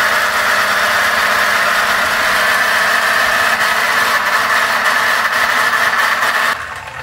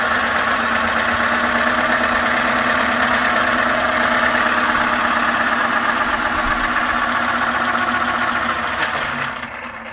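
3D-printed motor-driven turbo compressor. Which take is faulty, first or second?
first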